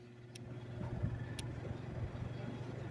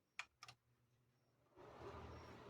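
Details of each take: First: Lasko tower fan running far slower than it should, with a strong steady low hum. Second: Lasko fan after repair of slow running and loud hum: two switch clicks then smooth steady air rush, no hum or vibration, normal fan sound.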